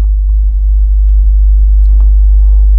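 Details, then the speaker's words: Assembled audio amplifier, hum on the subwoofer channel: loud, constant deep hum, steady and unchanging; ground loop hum. "मैं आपको दिखाऊंगा कि assemble किए गए एम्पलीफायरों में हम्म का मुख्य कारण ग्राउंड लूपिंग है, मेरे शब्दों में लूपिंग ओवर ग्राउंड पॉइंट है"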